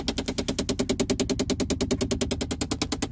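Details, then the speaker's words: 2010 Chevy Impala passenger-side blend door actuator behind the glove box, cold winter weather: rapid, steady clicking behind the dash from the failing actuator. "And there's that noise. Definitely Blend Door Actuator."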